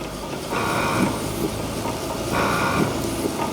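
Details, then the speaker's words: Proton Impian being bled for a spongy brake pedal, in gear on axle stands with TC light on; over steady idle a buzzing hum surges for a couple of seconds and repeats, the ABS pump cycling normally. "So what's that noise I can hear? It's the ABS pump firing."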